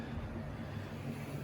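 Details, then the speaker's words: Wrenn ringfield model loco motor after attention, hauling Triang and Wrenn wagons: soft even low hum, no clicks or rough spots, whisper-quiet meshing gears and armature bearings, an exceptionally quiet motor: normal running. "with these mass-produced motors and gears you do get the occasional ones that are quieter than others just a really nice selection of meshing gears and Armature bearings so that is a lovely quiet one"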